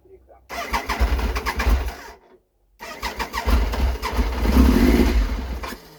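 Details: Triumph Trident 900 (owner thinks a 1997), first start in over two years, cold and on choke. It cranks, catches and runs unevenly with ragged, lumpy firing pulses through each rev; rough running, cause not yet clear.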